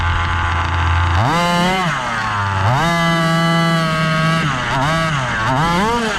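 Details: Gas-powered Rovan Baja 5B 1/5-scale buggy, test run after a crash rebuild with a new differential: small two-stroke revving up and dropping back several times, pitch following the throttle cleanly, no misses. Running normally.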